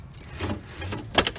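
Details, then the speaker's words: Ford Explorer power door lock that would not pop up, fixed by fitting a spring hooked to the lock cylinder bracket: short whir and sharp clunk as the rod snaps over, then another clunk; the lock now cycles normally. "it works that's awesome so it works so the spring is supposed to be there"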